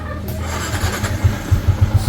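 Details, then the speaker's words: Sniper 150 single-cylinder idling quietly after repair: top end had no oil reaching the head (blocked oil passage to cylinder head), coolant mixed in oil from failed water pump seal; rocker arm, cams, pin, lining, head gasket replaced. Even putt, no tapping; healthy idle. "Ayan ha. Okay na siya ulit mga boss, tahimik na ulit."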